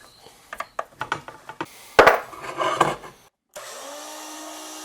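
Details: Old, shaky 40-year-old drill press drilling holes in Gingery lathe ways: short irregular cutting bursts, then a steady motor spin as a fresh sharp bit cuts cleanly, unlike the dull one before; normal drilling.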